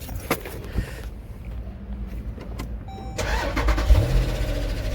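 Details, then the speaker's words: 2017 Jeep Grand Cherokee SRT 6.4L Hemi, 71,000 miles, oil level good, customer reports noise under motor: cranks and catches, then rough, uneven cold idle with a dull bottom-end knock; engine judged to need replacing. "wow so this guy is in trouble problem is based on that noise that's uh that's the motor knocking so i think he would have to replace this motor that's definitely an engine noise"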